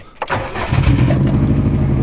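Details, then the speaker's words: 2003 Subaru WRX wagon, first start right after replacing all four coil packs for misfiring on all cylinders: engine catches then shakes with a deep, uneven, lumpy idle; cylinder 2 misfire detected, cause not confirmed. "let start quick like really quick oh my engine's shaking guys this is not good"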